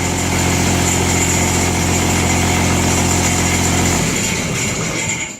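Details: Old Jacobsen Turfcat diesel mower, stored about 2 years, started on glow plugs, warm after idling a few minutes: steady diesel clatter continues after switch-off, low end fading as it winds down slowly, taking about 10 seconds to shut off; diesel run-on after shutdown.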